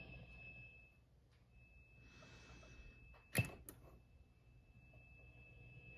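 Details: ENGL Fireball 100 amp, just over a year old: thin high tea-kettle whistle over low hum, loudest on the clean channel, comes on after a while and comes and goes, increasingly often; owner suspects a bad preamp tube.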